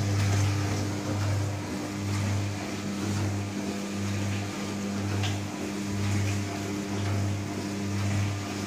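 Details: New Candy Trio 9501/1X running loud: a deep low hum swelling and fading about once a second with a steady tone above it. Resonant droning, cause unclear.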